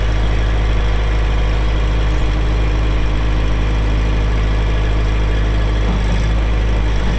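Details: 2004 Kubota M6800 4WD pre-emissions diesel tractor, 1,181 hours: deep, even diesel rumble at a steady idle with no knocks or misses; engine running healthy.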